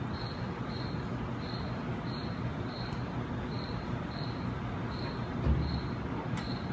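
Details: Gehl 3510 skid steer engine idling steadily after starting once the fuel pump primed, a deep even rumble with a faint high chirp repeating in the background.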